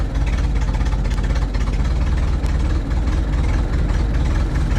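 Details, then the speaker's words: 1926 Ford Model T touring at idle: low, lumpy, uneven beat with a cylinder dropping out now and then, because one spark plug isn't firing and needs replacement. Misfire, rough running. "hear that spark plug needs to be replaced it's running rough okay let's go for a real short drive"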